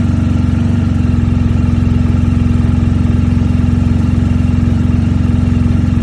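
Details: 2020 BMW R 1250 GS Adventure on its stock battery (12.2 V), cold start at about 37°F in the garage (21°F outside), after a dealer software update: long, slow, even cranking without catching, a hard start.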